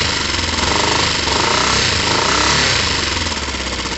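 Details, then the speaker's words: Motorcycle with airbox fitted loosely, idling before the choke can be tested: steady twin idle with an even, rapid exhaust beat, no misfires or knocks; sounds fairly normal, normal idle. "sounds fairly normal to me what have we changed i just cleaned um [Music] but ultimately between the cars actually the chokes get on we can't test it yet"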